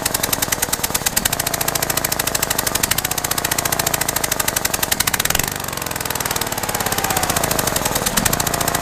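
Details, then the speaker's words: Mitsubishi Lancer Evo VIII started after over a year stored in a garage, running super rich: rough, lumpy idle with a fast, steady ticking knock over the exhaust note; cause unknown, owner has unconfirmed thoughts. "obviously you heard it now the question is what's causing it obviously I don't know"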